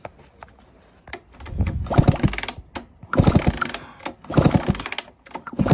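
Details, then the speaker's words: 1996 Honda CR80 two-stroke after new fuel line, gear oil change and 30:1 premix: repeated kickstart strokes, short ratcheting churns with no firing; spark seen but possibly intermittent, exhaust may be blocked after shed storage; no start. "Right, nothing's happening. I honestly thought this was just going to fire straight up."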